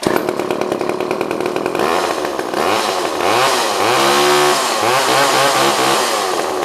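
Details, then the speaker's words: Old pre-1990s two-stroke chainsaw restarted straight up without warm-up and settles into a steady, even buzz that revs cleanly without stumbling; a healthy saw running well. "Everyone's good. runs a runner. That didn't need to warm up or anything. That one just kind of started right up."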